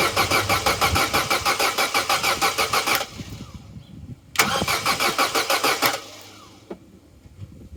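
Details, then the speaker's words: Vauxhall Corsa B sat 4–5 years, after fitting a new battery: two strong, even cranking bursts at about five beats a second with no slowing, but no firing; good healthy turnover, no start, engine note changes slightly when accelerator pumped. "that's a good healthy turnover good healthy crank but no go"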